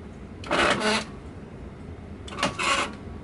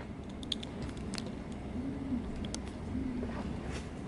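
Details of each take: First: Rock-Ola 5000 CD Gala jukebox page motor after gearbox cleaning, reinstalled: two short strained grinding whirs; unit was pulled down too low so gears meshed too tightly, fixed by moving it back into operating position. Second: Rock-Ola 5000 CD Gala jukebox page unit after repair (30-year gunked gearbox cleaned, oily motor brushes): crisp even clacks about once a second over quiet motor hum, pages flipping reliably.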